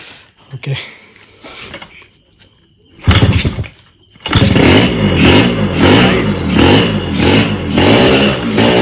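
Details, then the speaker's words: Freshly rebuilt, untuned Yamaha RXZ two-stroke, first start on a small fuel bottle after cleaning a varnished carburetor: after failed attempts it runs only while blipped, rising and falling, never holding idle; owner suspects the small fuel amount. "okay so that's a good thing so yeah it started very less amount of fuel so that could be one reason why they cannot get it to idols now set is obviously not tuned some freshly rebuilt engine"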